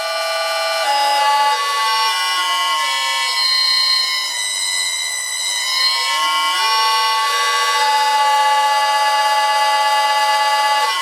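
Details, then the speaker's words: One-horsepower six-pole motor on a lathe, driven by a VFD at up to 50 Hz, compared against a four-pole motor: clean tonal whine with pitch stepping and sliding as the frequency changes, steady and even; normal running. "that's enough so that's the sound difference between a four pole and a six pole motor both one-horsepower both from the same manufacturer"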